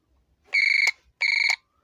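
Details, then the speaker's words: Revaa cordless doorbell repaired for low sound, with the speaker wire reconnected and the magnet still to be set properly, tested by pressing the remote button: two loud, clear, bright chime bursts of about a third of a second each, no buzz or crackle, much louder than before. Normal chime. "इसकी button दबाकर देखते हैं तो देखिए हम जो sound है वह काफी इंक्रीज हो गया है"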